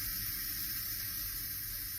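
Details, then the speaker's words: Instant Pot after over 5 minutes of natural release, valve moved to vent for manual release: short, steady hiss of residual steam with no sputter or whistle; normal pressure release, little pressure left. "to exit the pot. It should only take a couple seconds. That portion is called a manual release of the pressure, but we've already allowed it to naturally release, so there isn't much pressure left."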